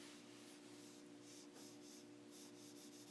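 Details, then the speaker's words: Conserv fan with shaded-pole motor, reassembled after cleaning, before oiling: dry scratchy rubbing over low steady hum from dry sleeve bearings; normal at this stage. "here grinding now well not grinding but you can hear the bearings that's just because they're dry that's normal at this point"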